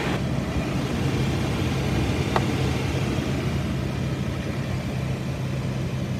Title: Preston - Engine Idling - Kade @ Tony Divino Toyota